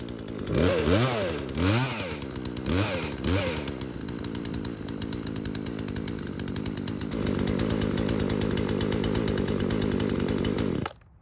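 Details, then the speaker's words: Chainsaw that would not start because its fuel lines were missing, after the fuel lines were replaced: two-stroke blips up and down, then settles into a steady even idle without stumbling. Starts and runs without real issues. "So, luckily for us, it started and ran without any real issues."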